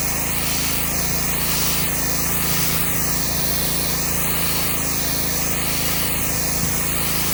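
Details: Subaru EA190V pressure washer after cheap replacement carburetor, running on questionable old fuel: constant steady engine drone under spray hiss, no surging or hunting as the wand sweeps concrete; running healthy under load.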